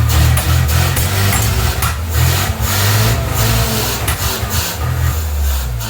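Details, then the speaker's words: 1979 Mazda RX-7 (SA) rotary with its carb fed gasoline directly, revved hard toward redline: rough uneven bursts with sharp pops spitting back out of the carburetor; carburetor backfire. "it's kind of backfiring out of the carb there"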